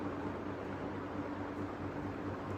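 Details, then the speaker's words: Ticking fan after the fix, with its post seated level in its groove: soft steady hum and airflow hiss with no ticking or rubbing; the fan runs normally. "okay now when I turn it back on it should be nice and quiet I am so happy it is amazing"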